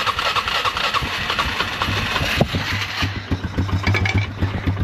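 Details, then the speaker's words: Polaris Scrambler 500 barn find sat 10 years, started by jumping battery to bad starter solenoid, no air filter: cranks then fires into a ragged single-cylinder chug; smokes a little, idle too low, needs adjustment; exhaust leaks. "You fell. It runs just um smokes a little bit. That's something cool. Idle is really low. So, we need to adjust the idle."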